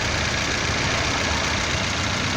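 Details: Honda Fit 1.5 2008 post-purchase check: even, steady idle with constant level and no dips, surges or knocking; engine sounds healthy at rest.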